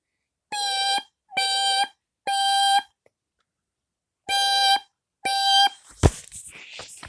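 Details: Smoke alarm test across a collection of smoke and CO alarms, Kidde i9040 (May 2018) among them; loud piercing beeps in a three-beep pattern then a pause, the alarm sounding normally on test.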